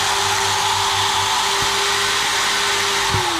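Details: GTPRO ceiling sander brushed motor after repair with new long brushes: an even hum with a clean high tone and airy rush, no sparking, and the brushes still need to bed in; normal running.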